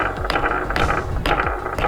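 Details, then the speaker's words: Bianchi Arcadex carbon gravel bike, about 700 km ridden, going over bumps: sharp clattery rattles roughly every half second from something loose inside. The source is not yet found, and nothing has come loose so far. "you can hear that. That's the noise I get when I go over bumps. Something rattles in there. Can be disconcerting, but so far it hasn't fallen apart."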